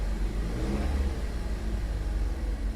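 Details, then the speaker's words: Salvage-auction vehicle that drives but apparently broke a line underneath: deep even engine note rising and falling with throttle, no knocks or rattles; engine sounds healthy. "well okay i mean it does move fine but obviously it broke a line or something broke under there it sounds healthy"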